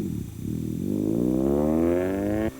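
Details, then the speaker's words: Acura autocross launch with RPMs too low; a proper launch used about 5,000 rpm. Revs start low and climb slowly before pulling clear. Engine bog on launch. "Here's a bog. The RPMs are too low."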